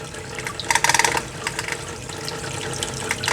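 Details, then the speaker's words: Tetra Whisper IQ 20 hang-on-back aquarium filter running over water: quick bursts of loose clicking as the impeller rattles on its shaft because its rubber tip is missing; a substitute rubber part from another filter did not fix it. "no it's very noisy you can hear that impeller just rattling around in there which is a shame because this is supposed to be a whisper quiet filter"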